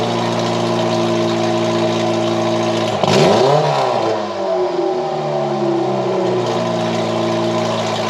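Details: 1989 Ford Mustang Foxbody four-cylinder after its fuel injectors were rebuilt: a loud raspy exhaust drone held high with a quick blip and settle; the idle hangs too fast and the terrible original exhaust is unmuffled.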